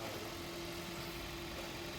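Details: 2011 Toyota Corolla 1.3 manual after its faulty throttle pedal was replaced with an original part, following erratic idle, engine light, misfire and fan complaints: steady, even idle with a smooth low hum, no misses or knocks; running cleanly.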